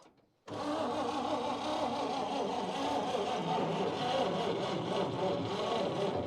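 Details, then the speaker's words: 1953 Chevy 3100 with 235 six-cylinder after years sitting: steady starter cranking, turns over evenly but never fires despite fuel shot; no spark, ignition points suspected past their useful life, to be sanded and readjusted. "so tested the points again and we got nothing so I wonder if these points are just maybe pass their useful Life"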